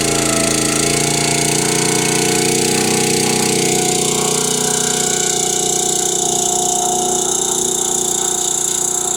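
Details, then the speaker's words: Kohler small petrol engine on a log splitter, bought as locked up from moisture, now running on gasoline (owner suspects valves weren't sealing from sitting); sounds healthy, steady even exhaust beat, no knocking, driving the hydraulic pump properly. "Oh, the engine sounds healthy. It's not knocking. It's not acting stupid. It's running. It's running right."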